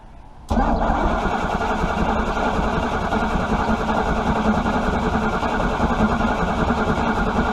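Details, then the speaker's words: Chrysler 318 engine (one of a pair, Kohler generator aboard) cranked without starting fluid, fuel pump presence uncertain; it starts suddenly into a steady, slightly uneven low rumble settling to a fast idle, running a little rough, cause unconfirmed. "So I might have to use my phone to videotape this, but I'm gonna try and start it without using any starting fluid."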